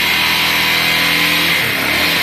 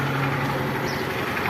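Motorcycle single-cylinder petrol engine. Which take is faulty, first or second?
second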